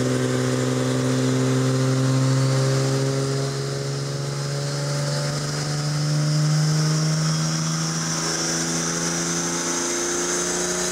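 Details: 1964 Ford flatbed with turbocharged Ford 300 inline-six, intercooler and FiTech EFI, on a chassis dyno: deep steady drone under full load, pitch creeping up with revs, no knocks or misses; clean healthy pull, about 377.7 hp and 373 torque.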